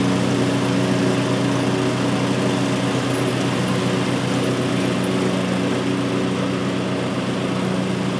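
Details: 2003 Simplicity Regent lawn tractor, 19-year-old Briggs & Stratton engine, revived after years in storage, cutting grass with deck mounted; strong unbroken hum under load, no misses or knocks, plenty of power to drive and mow.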